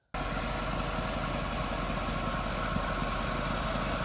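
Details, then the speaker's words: Jaguar S-Type R supercharged V8 automatic at idle after the supercharger and auxiliary belts were replaced: a steady, even idle with a smooth low hum and no belt squeal or chirp. The earlier squeak from the supercharger belt is gone. "now that squeaking noise that i mentioned well that was the supercharger belt so i've had that swapped along with the auxiliary belt just listen to it now"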